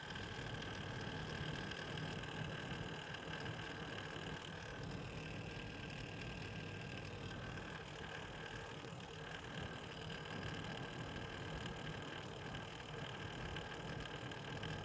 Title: Corsair H100i extreme rattling noise from pump.